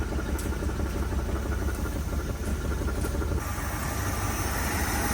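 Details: 1979 Dodge Ramcharger, an ex-plow truck that sat about 15 years, started after fuel priming: a deep, steady, even rumble with no knocks or misses. The V8 idles smoothly and quietly.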